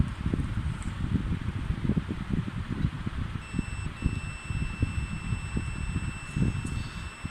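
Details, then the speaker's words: Sanwa digital multimeter in buzzer/continuity mode, probes across both ends of a wire: steady high-pitched beep with a reading over handling rustle, showing continuity, so the wire is fully good. "তো বন্ধুরা আমরা দেখতে পাচ্ছি একটা মান দেখাচ্ছে এবং একটা শব্দ হচ্ছে। এই শব্দটা হবে এবং মানটা দেওয়াতে আমরা বুঝতে পারবো যে আমাদের তারটা কোয়ান্টিটি ঠিক আছে এবং তারটা সম্পূর্ণ ভালো।"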